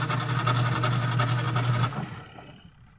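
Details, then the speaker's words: Washing machine running: loud droning hum with a rough pulse about four a second, caused by a faulty gearbox underneath that is driven by the belt. "Okay guys, ito lang ang naging sira niyan. Yung pinaka-gearbox niya sa ilalim."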